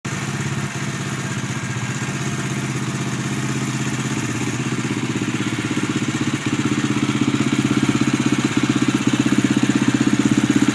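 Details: 2011 Husqvarna TE630 single-cylinder at idle, under 100 miles: steady beat near four per second with whirring blender-like mechanical rattle, source unclear; owner asks if normal; abnormal engine noise.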